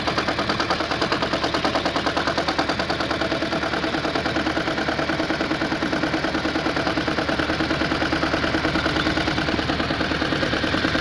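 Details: Hot engine with a misfire code on cylinder 4: rough idle with a sharp, steady knock a little over two per second; pulling injectors changes the sound, and the owner suspects the cylinder 4 fuel injector.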